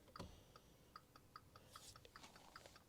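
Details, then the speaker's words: 2019 Volkswagen up! crash rebuild, jacked up in neutral, rear tail lights not fitted: quiet, fast indicator ticking about 2.5 clicks per second, quicker than normal; hyperflash from missing rear lamps. "If you can hear the mic, you'll hear the indicators going on very fast. It's because obviously the rear tail lights are not fitted to the car"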